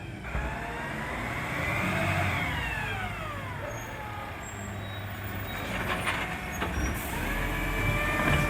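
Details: Marion garbage truck SL01300 diesel after exhaust leak repair: pulls up and eases off smoothly with rising and falling whine and air-brake hiss, no exhaust puffing or ticking; normal running.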